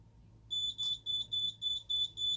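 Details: Simplex 3001-9001 alarm panel, police panic triggered with keys 1 and 3: steady high-pitched keypad beeps about four a second, no siren follows because the audible output is not set up for police panic.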